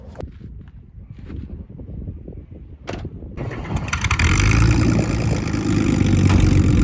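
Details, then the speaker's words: AU Ford Falcon running after the spark plugs were replaced to cure a misfire: the engine catches and settles into a strong, even run that builds steadily with no misfire or stumble. Healthy normal running. "So I just changed out the spark plugs, and yeah, it's doing pretty good actually."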